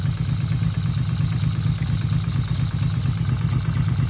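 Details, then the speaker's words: 1977 Yamaha XS750 idling: fast, even light tapping, several per second, over a lumpy idle; owner unsure whether it's the cam/valve area or a vacuum leak, gas suspected gone off; before carb removal, cause unconfirmed. "uh I'm hoping it wasn't cuz it kind of sounded like that but it kind of sounded like a vacuum leak as well"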